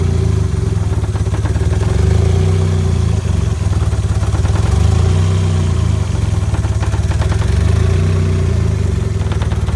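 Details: 1994 Mazda Miata with turbo, just bought, warm after driving home: a lumpy idle that sags and surges as if about to stall at stops. The owner suspects a badly leaking exhaust manifold next to the turbo.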